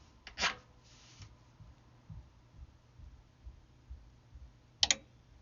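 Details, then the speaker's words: Carrier HVAC unit with no airflow: two sharp relay clicks on the control board but the indoor blower never starts; technician suspects a bad circuit board with burnt relay contacts. "we got a bad circuit board um i can hear the relay engage but the contacts are probably burnt out"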